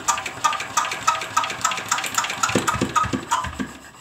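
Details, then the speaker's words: Diesel engine, hand-cranked test start after valve work; even chuffs about three or four per second with injection audible but no firing; cranks but won't start, compression judged somewhat low. "jadi ini kompresnya agak kuranglah sobat diesel jadi saya akan coba lebih kencang lagi mengengkol nya ya"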